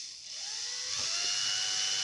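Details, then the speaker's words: Sewing machine motor run at maximum speed on the pedal: a clean whine climbing smoothly in pitch with no rattle or growl. Finding: normal motor run, motor healthy. "Звук хороший вот максимальная скорость я нажал максимальную скорость там слышно как он работает"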